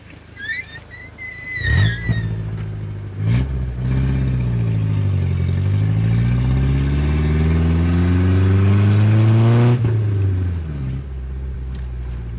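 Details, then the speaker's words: Rebuilt Nissan 910 Bluebird wagon: engine note climbs smoothly through a gentle pull and drops off cleanly, no knocks or rattles; sounds okay though not fast. Normal acceleration. "Goes alright. I mean, it sounds okay, I should say. It's not got no speed."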